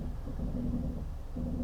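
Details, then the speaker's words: Genesis GV70 SUV creeping forward slowly in traffic: quiet low drone with an on-off groaning hum rising over it as the brakes drag, like a sinking ship; typical low-speed brake noise. "The brakes are quite noisy when you're just creeping along at slow speeds."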